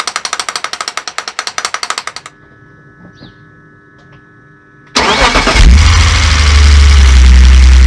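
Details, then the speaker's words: BMW E46 330ci that kept cutting out, after the sticking idle control valve was freed up: quick cranking, a clean start with a brief flare, then a steady idle that holds without dying; the fix worked. "Bloody gone and fixed it. Wasn't expecting that."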